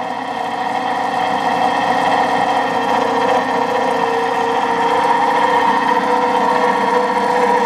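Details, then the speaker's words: 20 hp electric motor, long stored in a barn, started on a rotary phase converter: steady hum with rough gravelly whir, no knock; bearings sound worn. "Hey, it's running! oh the bearings don't sound very good"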